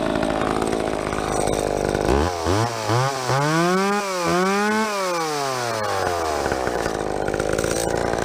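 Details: Stock ProMac 10-10 chainsaw with 28-inch bar, tuned, cutting big fir: high scream drops in pitch and holds through the cut, then revs cleanly back up; healthy saw under load.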